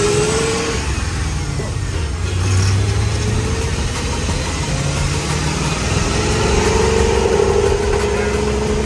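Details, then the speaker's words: 6L LS-swapped, lifted Unimog 404 on 46-inch tires revs unevenly and sputters, breaking up as it climbs; coolant peaked at 128 °C, overheating suspected as a big part of the problem. "That's what I mean by it breaks up. And that's, I don't know what RPM that is, but it like sputters."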